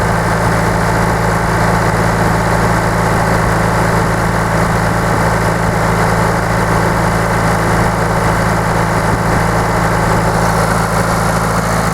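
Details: Diesel idling after converting mechanical to electric fuel pump (about 11 psi) with pressure regulator still to be adjusted; loud, steady idle with even low clatter, no stumbles or hunting; normal idle.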